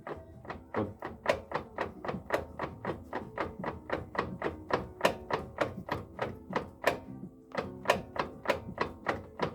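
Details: Renault Kangoo 2 / Mercedes Citan with TL4 090 gearbox, in gear while wheels are rocked back and forth: hollow clunks about three a second; gearbox knock, play in gearbox or driveline suspected, not confirmed.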